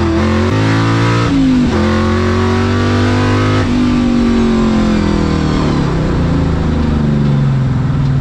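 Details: Ford Mustang Coyote V8 with a new exhaust and Y-pipe, fixing a months-long rattle caused by a fender bolt; heard inside the car. Deep even drone at cruise (~1700–2000 rpm, 65–70 mph), rising with throttle, faint hum, no rattle; normal exhaust.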